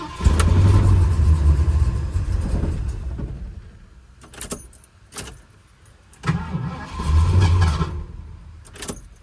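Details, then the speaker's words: Ford Mustang Mach 1 after fuel tank replacement, fuel poured in carburettor: two bursts of steady low cranking that never catch; pump not pulling fuel yet, old fuel debris found in the line. "Obviously not. It's not pulling fuel yet."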